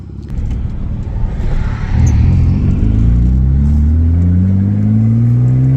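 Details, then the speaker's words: Mitsubishi Eclipse with a flex pipe holed in several places, large enough for a finger. Deep, loud blatty rumble that grows as revs climb. There is also an unexplained odd idle. Exhaust leak. "there's multiple holes where you can stick your finger through it so that's why it sounds like it does it's got this weird idle too I haven't figured out yet"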